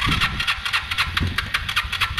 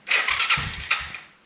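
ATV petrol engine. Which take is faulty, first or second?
first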